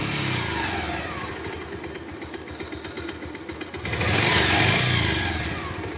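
Steady single-cylinder beat at idle, then a clean quick rev near four seconds and smooth return; engine sounds healthy.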